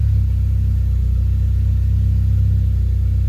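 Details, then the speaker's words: Mitsubishi Eclipse GSX 4G63, complete cold start after fixing a vacuum leak: keeps itself running with no pedal, settling into a low steady even idle with no hunting or misfire; sounds healthy. "Keeps itself running just fine. So that was a complete cold start."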